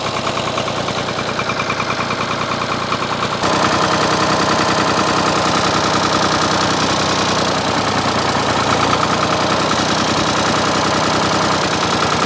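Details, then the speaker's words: Ford 4000 three-cylinder diesel tractor idling before injector replacement: rough uneven lope about three beats a second with a gap in firing; running on two cylinders, front cylinder dead from a bad injector. "So just for comparison, I'm going to fire this thing up and let it run so that way you can see what it sounds like running on 2 cylinders versus later on 3 cylinders when hopefully it's fixed."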